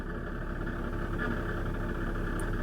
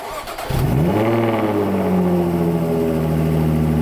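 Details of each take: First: Jaguar F-Type at idle; faint scraping hum in the upper mids, rubbing also heard on revs; goes away in park off the brake; cause unknown. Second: Jaguar F-Type, pre-particulate-filter era: fires with a sharp bark, settles to a deep even drone, then a clean blip and smooth return; healthy engine and exhaust note.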